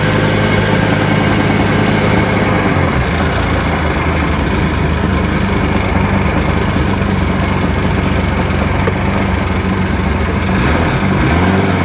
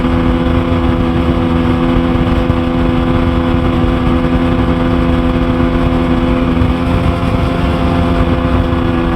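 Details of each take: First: 2002 GTX DI with a maintenance light around 3,000 rpm (stator, crank position sensor already changed), test-run after checking plugs: uneven stumbling beat skipping at steady speed; misfire, cause unconfirmed. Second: Sea-Doo GTX Di two-stroke watercraft after bottom-end teardown for suspected front crankshaft bearing failure (maintenance-light issue; failing fuel pump gives same symptom) runs steady and strong on the water under load, with no knocking, misfire or stumble.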